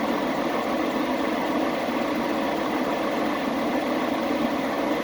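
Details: Chevy Express 3500 idling after the misfire was fixed: smooth, even idle with a steady, unbroken note and no stumble or missed beats; running cleanly.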